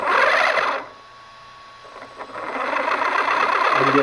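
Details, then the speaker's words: DHK Hobby Maximus RC truck, static test with new larger Leopard brushless motor and ESC replacing the cogging stock motor: soft whine eases in slowly and builds evenly, no stutter or cogging. "nice smooth low power that was forward here's reverse absolutely no cogging whatsoever man the stock motor cog something fierce this thing is as smooth as can be"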